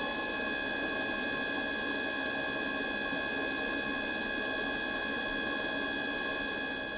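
Steady fan whine with crisp ticking about four per second from the fuel pump, but the heater never catches.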